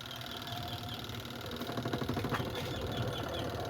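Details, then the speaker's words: Beltless spin dryer loaded with clothes after repair: steady whir with soft low rumble, earlier squeak gone; suspension fine, fault was in shifting part; bearing or belt initially suspected. "So wala na yung langitngit guys. Wala na yung langitngit."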